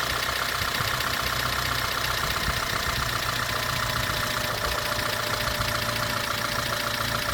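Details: 2006 Honda Element with K24A4 engine at idle after a valve adjustment; fast, busy ticking louder than a healthy valvetrain, noisier than before the adjustment: loud valvetrain ticking, cause not yet pinned down.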